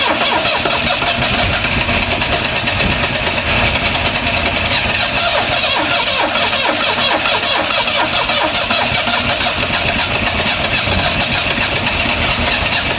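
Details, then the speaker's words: 1974 Vauxhall Magnum revived after 37 years, run on choke with fuel squirted in by spray bottle: cranks, catches and stumbles along with ragged firing, barely keeping running, sounding fuel-starved; starter motor weakening; cause not confirmed. "Boom. Kind of runs. Hopefully. I think it will go eventually."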